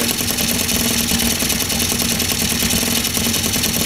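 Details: 50cc scooter fitted with 70cc big bore kit, first start in about 40-degree weather: busy, buzzy two-stroke idle holding a steady, even note without misfires.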